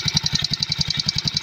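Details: Mio Sporty scooter idling with a sharp, rapid tik-tik metallic ticking from a worn starter one-way clutch (bendix) that had lost a spring-pushed roller, making starting hard; part replaced.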